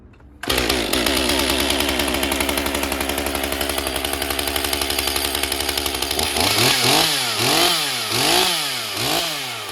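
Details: Stihl MS 201 TC-M, relatively low-hour electronic-carb climbing saw diagnosed for a no-start, first start after bench work with bar, chain and covers refitted: fires and settles into a steady crisp buzz, revs up and down cleanly; running healthy, smoking slightly.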